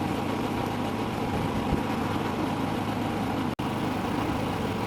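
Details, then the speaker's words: Predator 3500 generator, three years old, started after months in storage, running with no load; steady drone with slow rise and fall, rpm varying about 100–200; mild idle hunting. "it's not hunting real hard but it is varying rpm by maybe 100 to 200 rpm"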